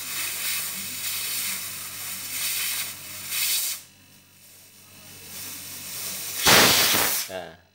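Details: Two-door top-and-bottom refrigerator not cooling (light on, fan turning, compressor running): sharp, strong sustained hiss of air bursting from the return line as it is blocked by hand, which cannot be held shut, so the compressor pumps well; small leak suspected.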